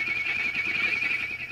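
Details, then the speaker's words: Previously owner-restored tube radio receiver at full line voltage, warmed up, recapped with no hum: loud wavering high-pitched howl over faint hum from an oscillation, later traced to IF section. "At any rate, so what's happening is there's an oscillation happening here."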